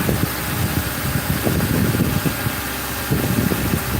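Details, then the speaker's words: 2005 Ford Crown Victoria police V8 after replacing grounded number 4 coil and plug (had blown fuse 9, codes P0351-P0358), warming up after a week idle; steady even low rumble, no misses or stumbles: normal idle. "That's pretty smooth. Sounds good. We'll let it run. We'll let it run for 5 minutes."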